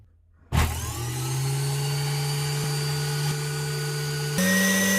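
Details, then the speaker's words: Philips juicer brushed DC motor after repair, tested via a diode before the bridge rectifier with a switch bypassing it (half-wave vs direct 230 V mains): steady hum then pitch jumps to faster, higher whine; normal speed change to full speed. "see that's full speed you can hear the speed change"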